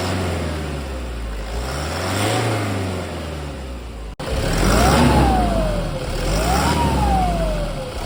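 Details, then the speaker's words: 2010 Toyota Hilux KUN26R with 1KD diesel at 291,000, with a newly replaced turbo: idles, then revs up and settles twice; the turbo whistle rises and falls cleanly with no grinding or howl. Normal engine revving. "yep hopefully the camera my sound can capture that one and yeah that's a different of a new turbo in a broken turbo"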